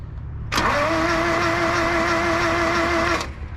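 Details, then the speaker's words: 1976 Ford Courier mini truck in neutral, with no spark and starting fluid applied: the starter cranks steadily at about three turns a second with an even whir and no firing; the long-stored engine turns over but won't start, and compression is later confirmed. "go ahead Jesse hit the key make sure it's in neutral up go forward crank it it's cranking do it"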